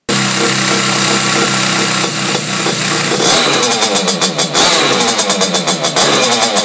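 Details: Simonini two-stroke engine in Piaggio Ciao moped, internal rotor, decompression-lever head, side intake, 21 mm carb, Fabrizio exhaust, first run in frame: loud crisp buzz pulsing with throttle blips, no misses; decompression valve sealing. Normal running.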